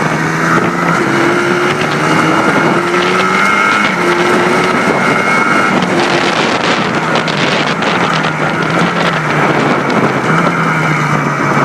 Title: Blaster after rebuild